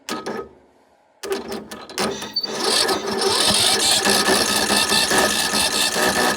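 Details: John Deere L100 mower that hadn't run: after a silence the starter spins with an uneven, labored rhythm of about two beats a second and never catches properly. Hard starting; owner suspects it may need a new starter.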